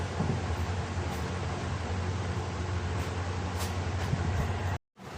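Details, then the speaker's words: 2013 Honda Pilot J35 V6, about 200,000 miles, timing belt and water pump never replaced, worn belt dust before timing cover removal: idle with irregular thump as belt slaps cover, knock-like; failed tensioner suspected. "But I want you to hear it, because it is popping and making, not backfiring popping, but it is slapping the cover and making like a thumping noise. So it does sound like a motor is knocking."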